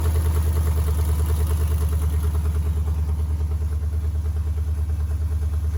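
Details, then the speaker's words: Lifted 2007-13 Silverado V8 with BTR Truck Norris cam, DOD delete, long-tube open headers, untuned, cold start: loud choppy idle with even lope about three pulses a second and deep rumble; aggressive cam running smoothly. "It's open header, so it's extremely loud. You can't really hear what it sounds like good, but once we get it tuned and get the exhaust on it, I'll get back with y'all. And it is a BTR Truck Norris cam."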